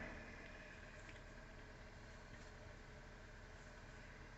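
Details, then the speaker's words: 2017 Kia Soul 2.0L, after crank position sensor replacement for drivability issues, codes cleared and tach now reading: steady, even low hum at idle with no misses, knocks or stumbles; running normally. "car feels like it's running all right it ran okay even with the uh the issue"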